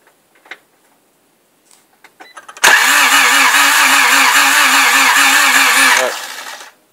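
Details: Honda Z6 no-start: the starter spins the engine at an even rhythm for about three seconds, then stops without it ever catching or firing.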